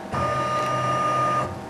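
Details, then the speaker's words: CNC mill (Mikini) driven by Mach, spindle off, axes jogging: harsh, steady buzzing about one and a half seconds then cuts off; rough, abnormal stepper motor noise during jog, cause unknown. "Another problem is how the axes jog."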